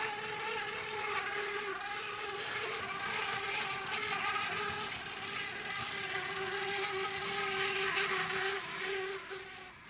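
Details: 2012 EWS Hornby Class 60 model locomotive 6042, running slowly on track: high, thin buzzing whine with a steady tone and fast ripple. Gear noise from a gunked-up worm gear.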